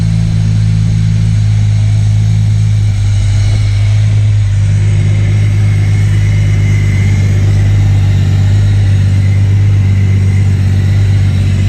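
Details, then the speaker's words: MK3 Toyota Supra after the Crispics igniter-ground mod and with the igniter now plugged in properly, previously not firing: deep, even idle with a steady low drone and no misses or stumbles, idling much smoother and calmer than before. "run so it's definitely idling a lot smoother start it up really nice too it's calming down was an aggravated before it was very"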